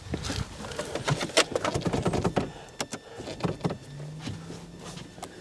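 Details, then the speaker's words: 2006 Renault Scenic mark 2 rear wiper motor, replacement unit checked before reassembly: short whirr, low steady hum and linkage clicks; motor working normally. "Sounds like it's working."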